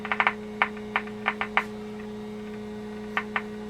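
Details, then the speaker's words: 1946 Packard car radio under repair, signal tracing at the 7B8 converter tube pins: only steady low mains hum with scattered probe clicks, no programme sound; nothing coming out of the converter, cause suspected, not confirmed. "okay we've got nothing coming out of the converter am I on the right pin one"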